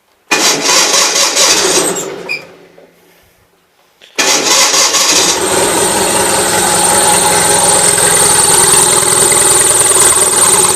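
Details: Gravely 450 with Onan CCKA twin, shroud off, cranks and runs fast with a rough rapping knock; running a little rich, owner suspects compression escaping somewhere or piston trouble, now doubting cam bearings; knocking noise.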